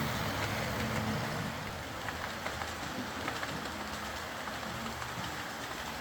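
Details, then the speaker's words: Old Hornby R751 Class 37 model locomotive after repair, wheels cleaned of corrosion with a rotary tool and brass brush, body refitted, on track: steady light motor hum with rhythmic wheel clicks over track joints, even throughout; normal running. "It's always very satisfying getting one of these running again and running well. My own one was my favourite locomotive on my lathe when I was a little boy, but it never ran anything like as quietly and smoothly as I can get them to run nowadays."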